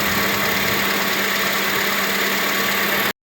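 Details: 2005 Acura TSX engine idling with AC running after serpentine belt replacement (4-year-old worn, stretched belt swapped): steady even idle, no chirp or squeal from the belt drive; quiet after repair.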